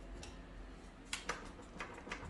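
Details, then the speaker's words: Dualtron Storm electric scooter, stem rocked back and forth by hand: irregular light clacks with a lot of back-and-forth movement, seemingly from inside the folding stem; owner plans to tighten it; stem play clunk. "see that, you hear that? And it's like, look at all that. It's going back and forth like a lot."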